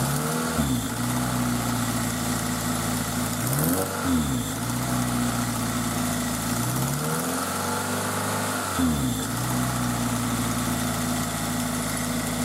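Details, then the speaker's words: Toyota MR2 Spyder with replacement 2ZZ engine, idling and revving: light ticking over idle, present since purchase, only when cold, smoothing out after a minute or two of driving; owner suspects valve clearance issue, valve train noise unconfirmed. "so the engine's been making that noise uh pretty much since I bought it and um what I noticed was that it would do that in when it's cold and then after I drove it for a little while really only maybe a minute or two it would smooth out and go away"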